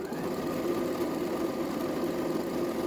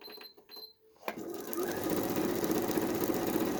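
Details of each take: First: Used Janome 2030QDC computerized sewing machine before any lubrication, needing service: fast, steady mechanical clatter with dry, tinny edge over the motor whir; dry unlubricated mechanism needing oiling. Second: Janome 2030QDC computerized sewing machine after servicing with spray lubricant and grease: even, steady whirr with quick regular stitch tap, no knocks or grinding; runs perfectly smooth.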